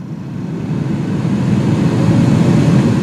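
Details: Vehicle HVAC blower stepped from low to high, control signal holding 60 Hz, checked with a Power Probe IV: smooth, even fan rush that climbs and settles at high speed with no rubbing or ticking; blower motor healthy.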